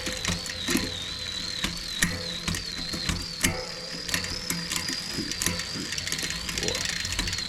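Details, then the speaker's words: Shimano 11-speed derailleur after replacing the derailleur, hanger and shifter cable, during adjustment and indexing: light steady chain ticking, sharp shift clicks and a soft whir, no grinding; shifting much smoother. "Ooh, that's a lot better."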